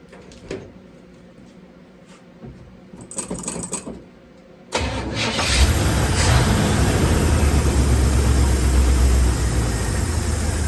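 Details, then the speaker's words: 1974 Chevy C10 with old plugs, wires, coil, condenser and points, timing set by ear: cranks briefly, catches, then runs a lumpy, unsteady idle that won't settle; fuel starvation because the fuel pump wasn't hooked up. "Does not want to idle."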